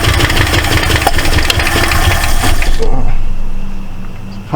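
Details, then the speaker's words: 1968 Ford LTD left abandoned, first start: ragged cranking catch with sharp, uneven pops coughing back out the carburetor before dying, plus ticking. Owner suspects a stuck valve or bent pushrod. Intake backfire through carburetor. "sounds like it might have a uh a stuck valve I don't want to run it too much um way it's ticking either that or it's got a bent push rod"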